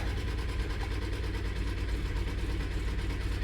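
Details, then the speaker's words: 2006 Honda Odyssey at idle, no stored codes: loud, continuous rattling buzz over the engine note, source not yet located. Engine rattle at idle. "hagamos aprende carro se escuchan el ruido ese está fuerte verdad"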